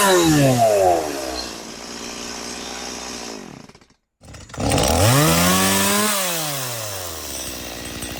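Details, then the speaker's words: Stihl MS180C chainsaw after carburetor rebuild for hard starting, stalling and bogging: two-stroke snaps up to a high scream, drops back, revs again and settles into a steady idle; crisp response, no adjustment needed, running healthy. "It revs real good. I don't need to adjust anything. It idle idles well."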